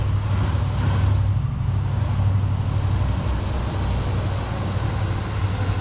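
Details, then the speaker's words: Long-abandoned 1973 Ford Pinto Squire wagon, first start on a hot day with old bad gas: a low, uneven rumble that wavers instead of holding a smooth beat, and a little smoke. It is running rough, blamed on bad gas. "y'all hear that i mean she is uh she ain't purring like a kitten but she's running still putting out a little bit of smoke not surprised"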